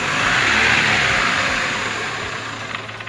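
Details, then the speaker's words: 2010 Chevrolet Aveo with an ECU fault and heavy black exhaust smoke, just after starting: revs climb excessively high with nobody on the throttle, then slowly sag; high idle from the ECU not driving the idle air control valve. "ok como pueden ustedes notar el motor en el momento en el que arranca en el que se pone en marcha se queda totalmente acelerado las las revoluciones se van excesivamente hacia arriba"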